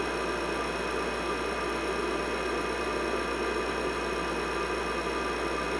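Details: IBM 5150 PC from 1982 with added 10 MB IMI hard disk, upgraded power supply, NEC V20 CPU, after cleaning and reassembly: constant even hum and whir of fan and spinning hard disk, no grinding or ticking; normal operation.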